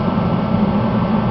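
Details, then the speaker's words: Rebuilt Mr. Heater contractor series torpedo heater, pump pressure about 8 psi; steady even roar with low hum, no sputter or pulsing: burner lit and burning normally. "right up no problems you hear it in about 30 seconds to a minute it should be at maximum burn temperature"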